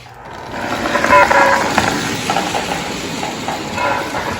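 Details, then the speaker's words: Lionel 6200 turbine 6-8404 model locomotive motor on track: steady electric whirring that swells and settles, engine runs beautifully and free-running; tender's Sound of Steam separately faulty from an electrical short. "Well, the engine runs beautifully."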